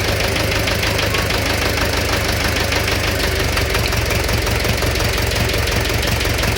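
Idle with a sharp, regular tapping knock riding on every few turns, steady and persistent; engine knock, source not yet pinned down.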